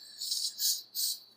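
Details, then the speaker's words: Turbo Lexus IS300 intake manifold pressure test with new ID1700 injectors: sharp hissing bursts swelling and fading at about 25 psi; boost leak at number six injector not sealing properly. "not sealing properly it's already at 25 psi you can hear it change just with my a little bit of extra force that's too bad"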